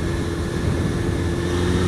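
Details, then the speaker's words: Suzuki GSX-R 600 SRAD running with a steady even drone, no hesitation, coughing or spluttering as before, after cam chain adjustment and running fresh petrol through to clean it. "you can tell there's no no hesitation there no coughing and splattering like there was before"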